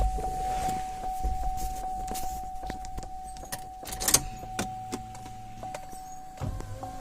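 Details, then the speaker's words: 2007 Suzuki XL-7, key on, driver's side power window: smooth even motor hum as glass travels, no grinding or binding; window works normally. "side window works fine"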